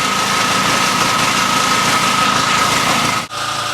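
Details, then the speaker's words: Main generator running smoothly for over an hour under steady load with an even buzz, after it shut down and spewed oil the day before; oil and air filters look fine, owner suspects frost buildup caused pressure to blow oil out. "this generation for over an hour now everything she's feel cake I just gonna put it down to the fact there was maybe some frost up built up in a tree and it pressures up blue"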